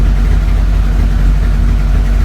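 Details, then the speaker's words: 1983 VW Rabbit GTI rebuilt engine on first fire-up, before warming to 100°F: steady, even low idle with a consistent exhaust beat, nothing knocking or missing, running in a reasonable range; healthy. "Exhaust. Yep, that's okay. We're running in a reasonable range here. Yeah, it's pretty good."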